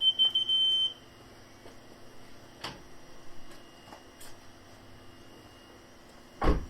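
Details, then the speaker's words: Fiat 500C with newly installed rear parking sensors, ignition on and in reverse gear: a high, steady electronic tone for about a second, then a few faint clicks; the sensors are working normally. "So as you can probably hear, they're working. Success."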